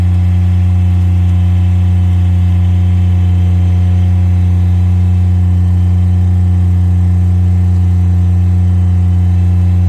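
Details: Miller Bobcat 200 Air Pak diesel welder-compressor after repair of a rust- and water-locked compressor caused by a faulty intake valve: smooth, constant low diesel drone at steady speed with no knocking, misses or rattles. It runs healthily.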